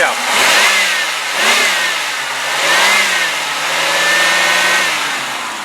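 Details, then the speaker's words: 1995 Oldsmobile Cutlass Ciera, 3.1 L V6 automatic, 9,335 miles: engine revved up and down, no bottom-end knock, only a slight valve-train tick, judged not a big deal. "good news is there is no lowend noise in this motor I got to be honest I do detect I can hear a little bit of valve train noise"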